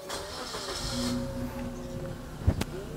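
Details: 2013 Suzuki Splash AT facelift, 48,000 km, warning lights off after start: short crank, engine catches promptly and settles into an even idle; clean, healthy start.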